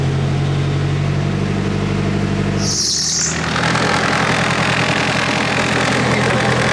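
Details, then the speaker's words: Nissan S13 with SR20DET after a new CD009 transmission adaptor kit install: fires up right away into a steady, even low idle with no knocks or misses, a brief high chirp, then a louder steady rush. Normal, healthy running. "let's see if it fires up [Music] right away that's a good sign"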